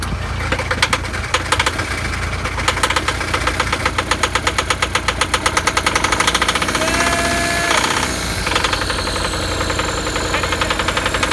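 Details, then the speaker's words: VW T4 diesel van, sat four years, after fuel system overhaul with glow plugs used: uneven, ragged clatter that stumbles and dies; fuel delivery seems starved, fuel pump suspected. "it's just a touch snorky hey runs stop running right now so you see if we get it going without try it let's go again oh no still hey big glow plug yep so that is fuel pump playing up somewhere"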